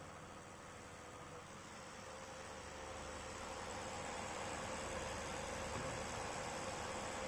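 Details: Acer Nitro 7 AN715-51 laptop GPU fan makes a metal rubbing sound and does not run as smoothly as the CPU fan: a steady airy whir with a faint, fast, rough flutter, rising slightly. Fan rubbing noise.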